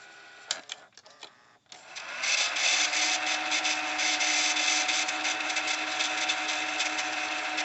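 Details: RCA VLP950HF portable VCR: a few mechanical clunks, then a steady high whir holding even pitch as the tape spools back; normal rewind motor whir.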